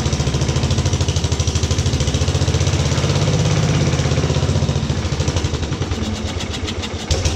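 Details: 1950s Agricat mini dozer, rebuilt Briggs & Stratton model 23A single converted to coil/battery ignition and starter-generator, first cold start at about 40°F without choke or throttle linkage: steady thumping about three pulses a second, even, no knock; normal.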